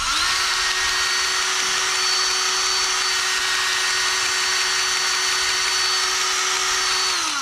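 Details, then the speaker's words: Cordless grease gun greasing a Case IH 75C tractor loader: steady unbroken motor whine instead of pulsing pump strokes, little grease coming through; cartridge out of grease. "all right when it makes that noise it sounds like it's out of Grease so it's just kind of a steady instead of a pumping sound it's more of a steady"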